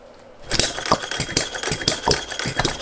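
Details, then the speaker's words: Philip Duclos Odds n Ends hit-and-miss model engine, after the cast iron rings were replaced by an O-ring piston: uneven sharp pops a few times a second with irregular gaps. It runs lumpy, and the owner suspects a timing issue. "it feels a bit lumpy does that so i think there might be a timing issue"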